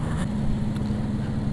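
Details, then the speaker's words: Yamaha Vega R New motorcycle riding after repair of a clutch-spring fault that had caused an odd clutch-area noise: a steady low engine note with an even pulse and no knocks or rattles. It is running normally again. "ini Alhamdulillah motornya udah kembali normal ya Semoga nggak terulang kembali sih"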